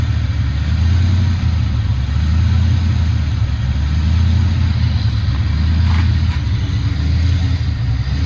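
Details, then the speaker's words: Foxbody Mustang 302 V8 with B303 cam, T5, 3.73 gears, just started after sitting since about 2021 with fresh battery and gas; deep steady rumble with slight cam lope, even and unbroken, normal idle. "She still runs."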